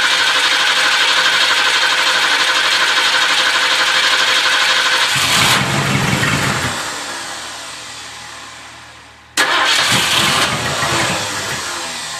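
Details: 1978 Ford LTD just after starter replacement: new starter whirs engine over in two bursts at roughly three turns a second, but it never catches; cranks but no start.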